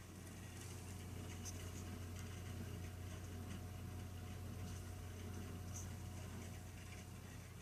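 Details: Burnham Alpine ALP150W gas-fired boiler, 3 years old, frequently rumbles when running: steady low rumble with uneven throb, three or four pulses a second, while firing; cause unclear, combustion rumble suspected.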